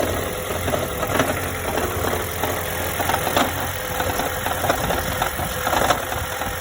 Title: toyota auris 1.8 hybrid strange noise